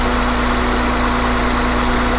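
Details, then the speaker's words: Honda Accord J-series V6 first start after valve cover gasket replacement; smooth, steady idle with even low hum and no clicking or ticking from the top end, valvetrain sounds healthy. "Valve sounds good. Don't hear any clicking or any major problems."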